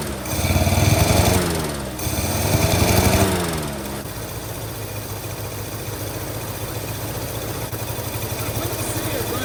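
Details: 1948 Studebaker Champion flathead six, long abandoned, on old fuel, warming up: rough idle with a recurring stumble, plus a couple of revs; number 6 dead, owner suspects an intake valve or plug wire corrosion.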